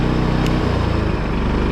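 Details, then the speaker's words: 1990 Fleetwood Bounder motorhome generator, started on a freshly charged battery: a steady, even engine drone settles into a smooth, constant note after a brief shift. Generator running healthy. "charged the battery up. That should turn over real nice now. Oh yeah, she's happy today."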